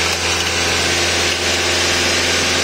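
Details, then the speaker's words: Nissan Sentra under diagnosis for running too fast: engine holds a fast, steady, high-pitched idle drone with no dips; high idle, cause not yet found. "tenemos también un Nissan Sentra el cual estamos sacando diagnóstico porque está muy acelerado"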